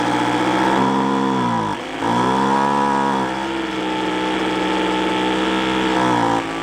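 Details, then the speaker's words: Roadside free two-stroke machine, air-fuel mixture limiter tab cut and adjusted: high buzz sags and stumbles, spitting back through the carburettor, hunting unevenly; won't hold revs, owner suspects clogged exhaust. "a you know I actually think it's sound it sounds like in the way it's spitting back out of the car like kind a clogged a clogged exhaust"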